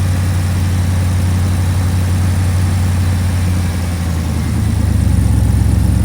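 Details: AK 427 Cobra replica first start after build, in neutral, clutch not yet bled, minor hose leaks: deep steady idle with even low beat, no knocks or ticks; running smoothly. Normal idle.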